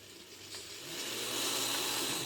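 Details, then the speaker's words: Kato N scale Alco RS-2 locomotive on analog power pack, first test run; tiny motor whir with rising high hiss and thin squeal building as it speeds up; dry commutator "death squeal", not a very good running locomotive. "yeah it's not commutator wind it doesn't have to De squeal but it's heading that way oh yeah there it is death squeal so this has the squeal of death built into it no extra charge"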